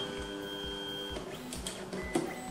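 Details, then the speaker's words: Newly assembled Tevo Tarantula Pro 3D printer running Marlin, homing test: clean stepper whine at steady pitches as each axis travels, then a brief stop and an endstop click; homing works properly and the Z axis is working. "eje, otro eje, perfecto. El eje Z está funcionando."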